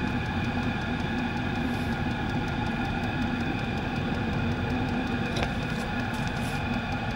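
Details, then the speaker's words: Diesel air heater on high after clearing fuel-related error codes E08 and E10, cleaning it out and upgrading the fuel line; owner suspects a fuel-cap venting problem: steady even fan and burner roar with constant hum, no sputtering; running perfectly, clear odourless exhaust. "but I got that heater cleaned out and it's running perfectly"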